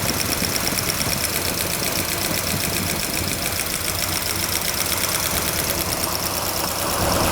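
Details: Fast, light ticking from the valve train over a running engine on a cold start with the valve cover off, during work on the ignition timing and the valve rocker lash; it sounds like one rocker with loose lash tapping, suspected but not confirmed.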